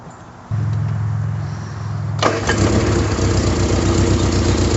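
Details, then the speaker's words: 1974 MG Midget after carburetor and performance upgrades, with the idle and mixture still to adjust: the starter churns under two seconds, then the engine fires cleanly and settles into an even, steady idle; normal start. "now that started pretty quickly um I'll rev it up for you and show you got some uh great throttle response on that"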